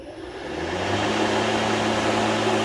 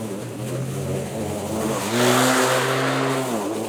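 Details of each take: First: Litheli 13-inch cordless battery lawn mower, first ever start, run with no load: motor spins up within half a second to a smooth, even hum with a steady tone and no knocks or rattles; healthy free run. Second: Litheli 13-inch cordless battery mower mulching very thick grass: electric motor whine sags whenever the blade bites and recovers between bites; labouring under heavy load but still cutting.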